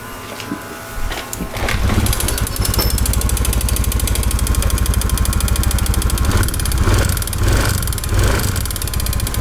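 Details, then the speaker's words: Honda Beat v2 scooter engine, weeks after a top overhaul: harsh, rattly knock because the piston pin lock was left out, so the pin slid out and scored the cylinder wall; piston pin knock from a missing circlip. "Pero yan oh, nakausli yung pin kaya pala maingay oh. Walang lock."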